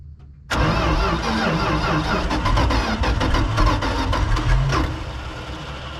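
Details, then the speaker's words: 1976 Dodge D600, small-block V8 (maybe 318), off the road since 2000, after carburetor cleaning: catches almost at once, then runs rough with irregular popping as dirt, likely mud daubers, blows out of the intake; oil pressure good. "holy crap it had something in the intake it blew it back out of my face yes I think it was mud daubers in the intake"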